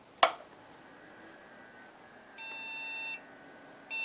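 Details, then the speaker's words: HP Pavilion a6110n desktop on a temporary Dell power supply: after a click, long high-pitched beeps of nearly a second repeat with short gaps, an error code found to indicate a memory problem, PC2 RAM possibly too fast. "Okay, doing a bit of research suggests that the error code I was getting is a memory problem."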